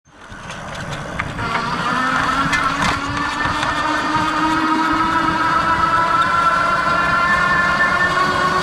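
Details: Lectric 2.0 Step-Thru e-bike with a steady whirring whine and hum climbing in pitch from the rear hub motor. The cause is unclear; the owner wonders whether the rear wheel and motor need replacing.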